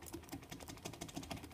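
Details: VW 2.0 TDI CBAB worn dual-mass flywheel with about two teeth of free play each way, making quick light metallic clacks about six a second; it knocks at low engine rpm.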